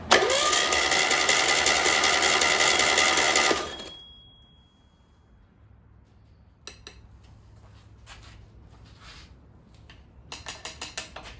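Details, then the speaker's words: Single-port engine cranked on the starter only, with oil cooler fitted and a test light on the oil pressure switch: steady whirring for about four seconds with no firing. It is believed to be building oil pressure, though the test light may be faulty. "I've got my test light, and it's on the switch, and as soon as we hit this, it should go out showing us that we have oil pressure."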